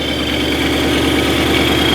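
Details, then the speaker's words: Wrecked supercharged Mustang GT, idling just after its first start following delivery from Texas: a smooth, even deep burble with loud exhaust drone and no knocks or misses; normal idle. "Sounds really good. The exhaust is pretty loud too."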